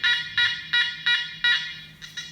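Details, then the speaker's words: Nokta Makro Multi Kruzer metal detector: quick repeated buzzy tone bursts, about three per second, fading at the end; the deeper, thicker tone it gives for a ferrous target. "o hem de daha kalın bir ses dalgınsın metallere daha farklı bir ses olmayacak gördüğünüz gibi"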